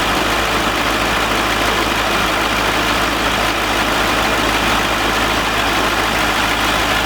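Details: C5 Corvette V8 first start after 4+ months of repairs (harmonic balancer and front subframe replaced), in neutral: even, steady idle with dense exhaust rumble, no knocks, ticks or misses; healthy.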